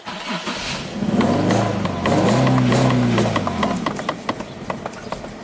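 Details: 2008 Infiniti G37S, no codes set, new fuel pump fitted with no change: the engine catches and revs briefly, then sags, stumbles and dies within seconds, as if starving for fuel. Stalling after start; cause not confirmed.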